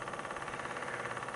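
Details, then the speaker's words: Old Corsair TX750W PSU from a Digital Storm PC, jump-started for testing: fast steady buzzing rattle over the fan whoosh, easing slightly over time and nearly gone when flipped upside down; worn fan bearing rattle. "test it this morning I put my little thing to jump it and when I turn it on the fan is making a really annoying vibration sound so it does go away a little bit after a while but when I do flip it upside down it pretty much goes away that tells me that probably the the bearing and that fan you hear that that's just bad"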